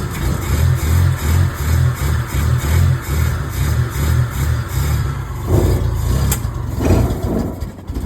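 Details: Maruti Omni first start after 4 years with new fuel pump, timing belt, water pump, ignition parts and battery: deep, even rumble swelling and easing in steady waves as revved; runs smoothly with no knocks or misses.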